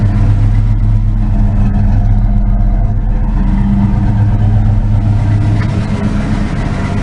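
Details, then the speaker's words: 1988 Mustang GT V8 after wiring repairs cured its surging. A deep, steady rumble rises and falls with a couple of throttle blips, even and clean with no knocks or misses: normal free revving. "I'll rev it a couple times the little burp there I like it"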